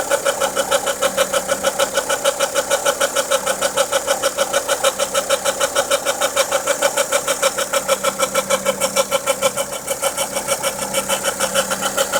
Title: Volvo v50 engine noise after timing belt replaced